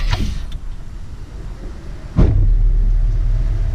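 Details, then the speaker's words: GM LS engine restarted with the accessory belt removed: smooth, even low rumble with no grinding, showing the grinding noise is not internal but from a belt-driven pulley. "all right so that's the first bit of good news it's not internal to the motor"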